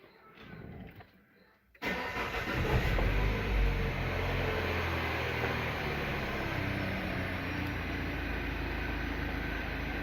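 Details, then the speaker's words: Peugeot 3008 THP petrol engine after timing (P0012) and tappet-knock repair, starting after adaptive reset, to idle until 90 °C before a 3rd-4th-5th gear relearn drive: quick crank, clean catch, brief flare, even idle, no rattle; normal. "depois vai arrancar o motor ligar a moto no monte de e não trancar o motor e deixar o motor girar até atingir a temperatura de 90 graus"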